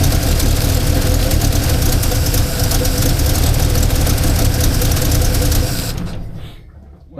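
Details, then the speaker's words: 1977 Holden HX 202, after confirming vacuum advance works, throttle cable not yet hooked up: steady, even engine note for several seconds then shut off; running better, idle may need adjusting. "seems to be running better. Might just need to adjust the idle"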